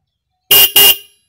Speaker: suaranya ini klakson kenceng banget ya